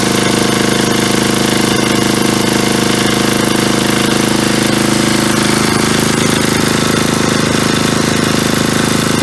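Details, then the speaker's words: 1977 Agway 1500 W permanent-magnet generator, freshly topped with 30-weight oil and gas, its diaphragm drawing fuel from the tank: a small single-cylinder engine firing evenly at steady speed, running healthy. "spe yeah so it sounds like it runs pretty good there I just put gas in it there and that diaphragm seemed to pull it out of that tank so that's a good"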